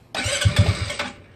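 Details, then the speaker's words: GY6 scooter after handlebar controller setup, cranking; about a second of uneven starter cranking with low thumps, never catches, won't start; owner suspects a poor connector contact, unconfirmed. "Still not happening. Something, I bet you if anything, we probably didn't get a good contact on this guy right here."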